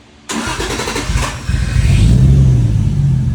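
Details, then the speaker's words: Toyota Soarer with temporarily wired 1ZZ coil-on-plug coils: cranks and catches, then runs with an uneven, stumbling idle. A misfire is suspected from the number-one coil pack, which is not confirmed. "if i remove number one it shuts off and you can hear the spark so i think this is causing me a misfire"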